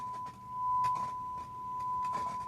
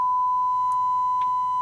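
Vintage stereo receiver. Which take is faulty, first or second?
first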